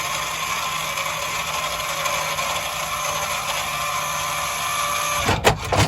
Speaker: So once they get to the end, you'll hear them click like that, and that's pretty much when you let go of the button.